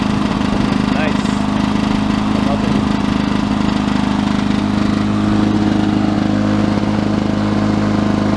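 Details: 1982 Lawnboy 5126 mower with F-380 OMC two-stroke engine, first start of 2017 outdoors, about 17°C, windy: steady busy buzz at constant speed, no misses, knocks or surges; healthy.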